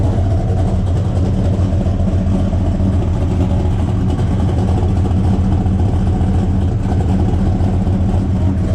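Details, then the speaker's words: Buick Skylark with 427 big-block V8, exhaust open at O2 sensor hole: deep, steady burble with even firing and no valvetrain ticking; normal, healthy idle. "this sounds good oh oh oh oh oh oh oh oh oh probably BR up yeah what do you think sounds awesome sounds good"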